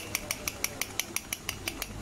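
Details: Yamaha bike, clutch cover open: crisp metallic clicks about six a second as the loose clutch basket is rocked. Its damper rubbers are hardened and worn, causing a knocking at idle and chain noise under pull; fix is new basket rubbers.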